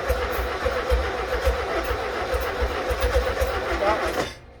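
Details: First startup of a rebuilt 1600cc engine, with a 12 V battery charger hooked up; it almost started on the previous try. The starter cranks steadily at about four turns a second, but the engine never catches, then cranking stops: cranking no-start.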